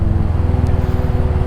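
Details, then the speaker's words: Royal Enfield Hunter 350 single: steady even low thump at constant pace, no rattle or tapping on top; the previously loud noise is gone, normal running. "मुझे देखा अभी बिल्कुल आवाज नहीं आई ये वरना बहुत ज्यादा आवाज आती थी"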